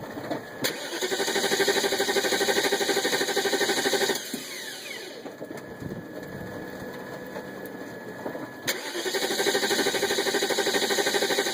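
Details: BMW 540i recorded from the front driver-side wheel in the rain: two long stretches of even cranking at about three beats a second over rain hiss, but the engine never fires; crank, no start.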